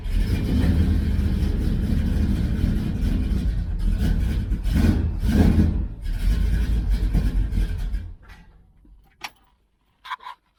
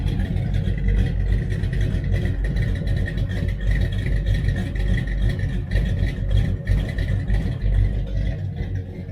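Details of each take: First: 1966 Dodge Charger, 383 V8 with aluminum heads, while tuning a Holley 4150 double-pumper carb: loud, lumpy running with uneven beats and odd bangs before dying. Fouled plugs are suspected of causing the misfire while warming up. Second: 1966 Dodge Charger 383 V8, big cam, heads, headers, Holley 4150 carb being tuned: deep loping idle with cam lope, no knocks or misses; slightly rich at idle, to be leaned out.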